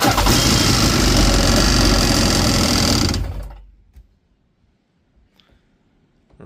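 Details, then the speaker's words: Yamaha GP800XL watercraft, bought as a non-runner, dirty fuel cleared, low power traced to a seal: harsh, busy two-stroke idle with a metallic rattle for about three seconds before cutting out; rattle fades when revved, owner wonders about engine mount, source unclear. "when she's not making noises like this she's making noises like this we have a bit of a rattle going on here"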